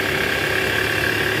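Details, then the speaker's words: Toyota Alphard ANH10 2.4L after replacing a weak fan belt tensioner: in R with AC on at about 1100 rpm, smooth, even belt whir with no groan or squeal; tensioner noise gone, though a separate clunk near the oil pan suggests worn balancer shaft. "Nah ini sesuai posisi awal tadi, masuk posisi R, AC on, digas sekitar RPM 1100 udah nggak ada bunyinya guys."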